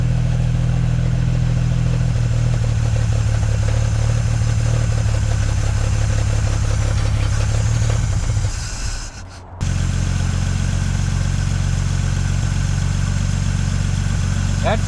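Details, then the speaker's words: 1950 Dodge Meadowbrook on 6-volt battery, carburetor primed with gas: low even drone, one brief dip, no tapping or stumbling; runs well, oil pressure and generator gauge fine, about 115–118 at back of block. "sounds pretty good. The oil pressure is good and the alternator or the generator gauge is fine."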